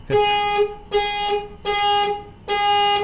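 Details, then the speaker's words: 1963 Hillman Super Minx, key on after voltage regulator cleanup: four clean horn blasts, each about half a second, steady two-note tone with nothing rough; horn works properly. "how do you like that he horn works"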